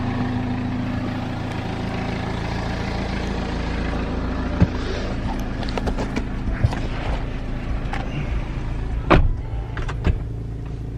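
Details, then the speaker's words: BMW 5 Series diesel after replacing worn exhaust mounts: deep, even idle with only slight vibration and no rattles, far stiller than before when the rear exhaust shook and vibrated into the cabin. "the exhaust is honestly so still i mean there is obviously the slight vibration but that is tons better than it was before"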